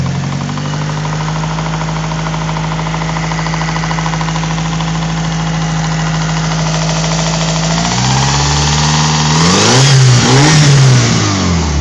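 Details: Mitsubishi Evo 4 4G63 petrol engine idling with a steady knock about four a second that continues as it revs; louder from the top of the engine than underneath, appears warm with aux belt off, from cold with it on; crank walk, rod bearings, timing checked fine; cause unknown.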